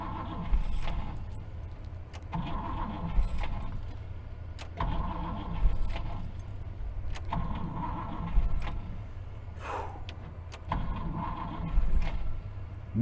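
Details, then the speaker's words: 1964 Buick Riviera V8 after sitting 23 years, float bowl leaking at the carburetor; repeated short cranking bursts cut out as the engine starts to fire because the worn starter's bendix disconnects, battery running down, starter needs replacing. "so the starter is just too too bad too too far gone as soon as the engine starts to fire the Bendix disconnects and just"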